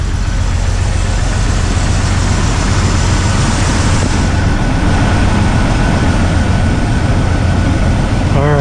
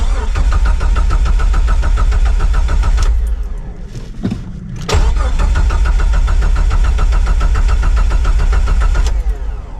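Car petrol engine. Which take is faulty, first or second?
second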